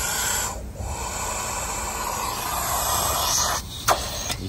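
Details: Toyota AC condenser line under a nitrogen pressure test with the retaining clip removed, held only by O-rings: a steady loud hiss of gas flowing in while the pressure rises. It is not leaking.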